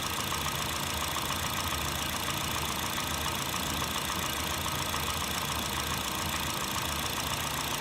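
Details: 2008 Honda Fit (Jazz) 1.5L, 120k miles, automatic non-CVT: fast, light tapping knock of three to four a second at warm idle. It is absent when cold at higher rpm. Valves adjusted, no oil use, no check-engine light. Owner suspects piston slap.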